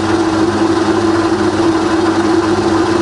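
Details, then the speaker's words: Rebuilt Bridgeport belt-drive milling machine after full service, quill power feed running in reverse: steady, even motor hum with a constant low tone and no knocks or grinding; the quill feed traverses fine. "so we reverse the feed when you see a traverse is just fine as well"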